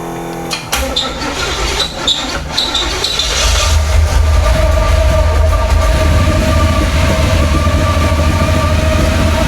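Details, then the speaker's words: Nitrous C4 Corvette V8 on dual Edelbrock carbs: catches and settles into a fast, steady idle well above normal, revving; it is getting fuel, but the idle seems a little high. "Oh, wow. I think the idle's a little high."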